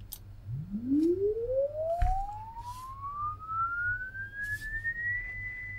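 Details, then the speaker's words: LD Zone 622 two-zone rack mixer on the bench for repair, sweep tone fed into input one: a clean tone rises smoothly from low to about two kilohertz over six seconds with only faint hum below; the audio output is normal. "So, I found some free software that gives a rising audio tone basically. And you should be able to hear that."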